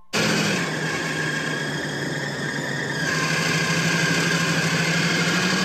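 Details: 1976 Dodge Cruise Air RV pulling away a quarter mile into a road trip: a steady high-pitched whine over the engine, even in pitch. Owner suspects a slipping accessory belt squealing.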